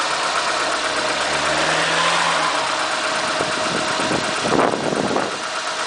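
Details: Renault Megane II 1.6 petrol: engine note climbs under throttle with a rising droning tone, then a brief rough rattle; strange noise when accelerating, cause unclear.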